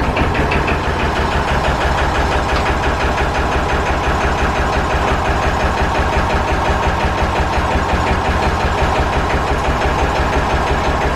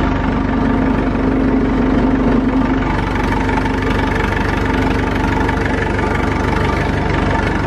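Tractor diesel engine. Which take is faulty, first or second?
first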